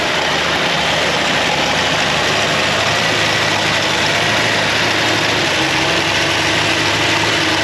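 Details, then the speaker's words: 1962 Ford Falcon, sat over 40 years, now warmed up and running with the generator charging 14.5 V: smooth, steady warm idle with an even hum and no knocks, stumbles or squeals; sounds healthy. "We'll probably start up now. It's warmed up."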